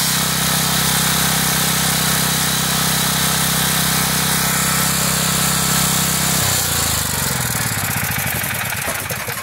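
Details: Generac 5500XL generator after repair of no-compression fault from cracked valve keeper plate, governor readjusted, new fuel filter and line: steady even drone holding speed without hunting, then spooling down at shutdown; normal running.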